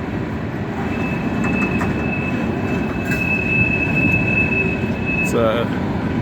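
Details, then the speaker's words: Empty freight cars departing westbound: thin, steady high wheel-on-rail squeal held several seconds, louder in cold weather; normal rail singing, no fault. "they sing more in the cold weather in the wintertime than they do in the when you got real neutral temperature"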